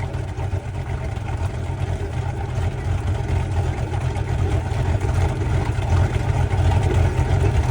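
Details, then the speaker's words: 2003 Bayliner 215 Bowrider with a 5 L MerCruiser V8 with roller cam, heard at idle from outside the boat: a deep, steady low rumble with a slight rhythmic lope from the cam, a normal, healthy idle. "So boat runs real good. We're at idle now. All right. So this little 5 L has a roller cam and you can hear it. It's got some lobe to it."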